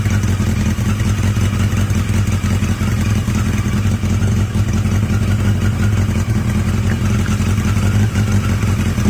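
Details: Yamaha XJ750 "Mack" at idle after a carb swap using the XJ650's carbs, filmed outdoors in strong wind; the four-cylinder holds a smooth, even low rumble, the best idle yet, sounding healthy despite wind noise.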